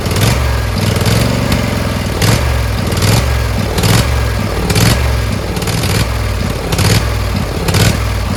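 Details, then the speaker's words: Briggs Intek V-twin on a Craftsman LT1000, after a sump gasket repair: engine speed hunts up and down about once a second and never settles. Owner suspects the homemade governor linkage spring is wrong, since holding it by hand steadies it. "So it runs, but it surges. I think it's that spring thing is wrong."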